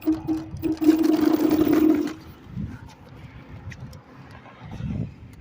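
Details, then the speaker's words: Laotie Ti30 scooter rear hub motor: a rough buzzing hum for about two seconds, then it cuts out. On throttle it jerks erratically with no torque, which did not happen before. Cause unknown. "So it's acting erratic and jerking and making that sound with the throttle pull. And that's the issue I'm having."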